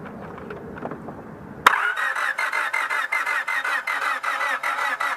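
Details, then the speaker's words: Honda Civic no-start: the starter cranks steadily at about 2.5 beats a second but never fires. Injector circuits have power, yet there is no pulse while cranking. "so now I'm going to crank the car all right and we're going to see if we got any pulse"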